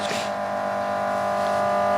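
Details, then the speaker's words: New high-current battery charger/jump starter charging a battery, current dropping from about 20 A toward 10 A; steady electrical hum with faint buzzy edge, even throughout; normal operation under load. "it was about 20 amps it's gone down now it's charging the battery"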